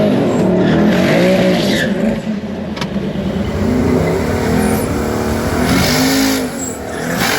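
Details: Twin turbo Hemi Dodge truck at drag strip launch: engine screams at high revs while the tires howl and scrub instead of biting; leave RPM was too high, and the bump did not work.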